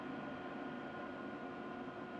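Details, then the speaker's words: Modified IQAir Compact air purifier with a 309 CFM inline centrifugal fan replacing the seized motor, at low speed on a ceiling fan controller, which owner says stresses the fan: soft even whoosh, faint steady hum, no ticks or rubbing; normal. "this is actually quieter than the original iqr machine was and i can turn the uh speed up and down with my ceiling fan control that i installed but it is harder on the fan when you reduce it though"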